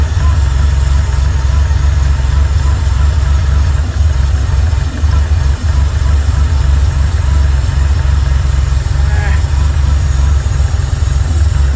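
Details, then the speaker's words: 1979 Porsche 911SC after the CIS fuel distributor and ignition repair and a mixture-screw adjustment; a smooth, steady idle at 950 rpm with good oil pressure and no knocks, misses or hunting. "a little mixture adjustment sounds nice all right well with that we've got a 950 RPM idle we got good oil pressure"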